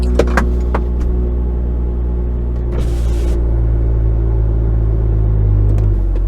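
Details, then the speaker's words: BMW M2 turning slowly with a low steady rumble and no clicking, after redoing the front wheel bearing bolts, strut top mount bolts and friction disc and cleaning the inside of the wheel; front suspension clicking gone, exact fix uncertain. "thank god i managed i was so happy as you can hear the clicking noise now is finally gone"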